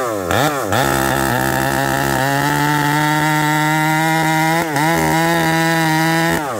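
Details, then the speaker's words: Ported Husqvarna 371 XP chainsaw with new coil: revs climb to a wavering burbling note that sags instead of screaming cleanly; carburetor set too rich, being tuned leaner. "okay you heard this thing Pig rich half a turn or one full turn let's I put it at three quarter this thing's too rich friends give me a second here"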